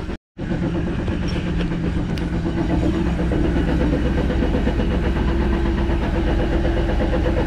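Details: 2010 Jeep Wrangler on jack stands in gear: heavy low rumble with a pulsing train-like whir from the rear drivetrain as the wheels turn. The differential gears showed no metal and the driveshaft had no play; the owner suspects bearings.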